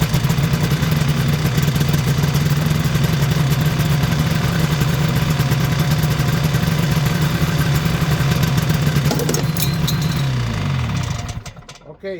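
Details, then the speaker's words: 1973 Ski-Doo 399 twin two-stroke snowmobile, barn find, fed from a jerry can: steady burble holds about ten seconds then winds down and dies; confirms a fuel delivery fault from the tank to the carburetor. "Theory confirmed we have a fuel delivery issue from our tank to the carburet"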